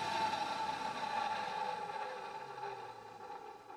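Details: Refurbished vintage Hoover 417E vacuum, 510 W, exhaust fan removed, fleecy bag fitted: steady mid-pitched motor whir holds even, then slowly sags as it runs down; slightly rougher wind-down, otherwise healthy for its age.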